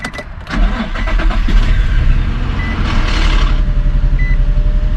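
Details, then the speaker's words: 2003 Infiniti G35 first start after knock sensor, knock sensor harness, cam sensor, valve cover and intake gasket replacement, fuel primed, battery was disconnected: brief crank, catches cleanly, settles into even steady idle; healthy. "let's look at the vehicle and my God you guys she's running like a bird oh my God she sounds so good"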